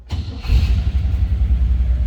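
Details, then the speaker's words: 1956 Cadillac Series 62 coupe, 365 V8 with automatic transmission; brief crank then catches at once and settles into a deep, steady rumble, starts easily; normal start. "See, it starts easily."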